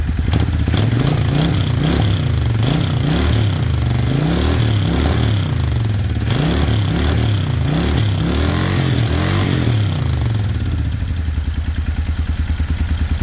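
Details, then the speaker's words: 1995 Suzuki Intruder 800 V-twin revived after 13 years of storage, electric fuel pump: deep uneven thump rises and falls cleanly with throttle blips, then settles to steady idle; runs healthy, though top carb suspected out of sync and exhaust leak noted. "It sounds good. I think the top carb is not in sync. We gotta figure that one out later."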